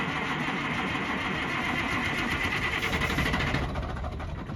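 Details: Kenworth K100 cabover with Small Cam 350 Cummins and 16-speed, sat 5 to 20 years: rough, uneven diesel note that dies after a few seconds, running only on ether because it won't pick up fuel from the tanks.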